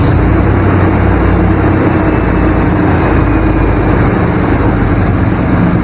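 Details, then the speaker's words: 1994 Chevy K1500 Blazer V8 idling high at about 1500 rpm with a thick low rumble: the idle drops when a spot is checked, confirming a significant intake vacuum leak. "oh hear that idle drop got a significant leak here somewhere"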